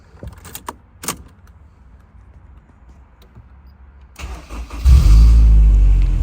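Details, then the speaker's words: 2005 Honda S2000 (AP2) with billet motor mounts: quiet clicks, then a short drawn-out starter grind before the engine catches and revs; aging starter hanging on engagement. "the starter is getting a little old and hanging but we'll change it when it goes out"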